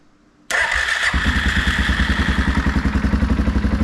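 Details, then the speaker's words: 2016 Suzuki KingQuad 500 4x4, bought non-running, first start in neutral after new starter motor fitted: brief cranking, then single cylinder catches into steady even thump; clean normal start and idle, fault was just the starter motor. "oh it's always such a good feeling when you buy something that's not running you do a bit of work and now it runs"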